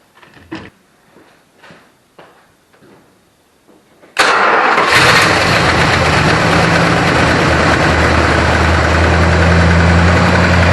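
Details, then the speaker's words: 1965 Chrysler 300 V8, first start after converting from points to a Proform electronic ignition distributor: a few clicks, then it catches at once and idles evenly. It revs smoothly now; before, it stumbled above 2500-3000 rpm. "Well, I can tell you one thing. It does rev up a lot nicer. Uh before when I would bring the RPMs on this up past about 2500 3,000 RPM, uh the engine would start to stumble and not run smooth."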